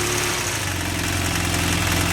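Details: BMW F800 with an aftermarket mechanical cam chain tensioner installed: steady, even idle with a smooth low beat and no rattle or slap from the timing side; the cam chain sounds quiet and healthy.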